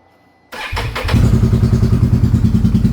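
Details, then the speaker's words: 2022 Can-Am Renegade 1000 XMR started cold after sitting a week: it catches, then runs lumpy and uneven on one cylinder, nearly dying at idle and smelling of fuel. The intermittent misfire traced to an arcing spark plug boot. "Runs on one cylinder. Once you can, I mean, get it to warm up. Then you have to stay on the throttle and keep it running. At idle, it would almost want to die."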